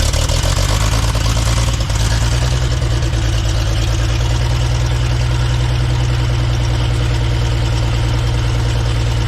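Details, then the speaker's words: 1960s Galion road grader, choked and pull-started, fuel pump not yet connected: steady, even low idle rumble with no knocks or misses; the clanking heard is the alternator; normal idle. "got to connect the fuel pump but it runs don't worry about that clanking noise that's just an alternator"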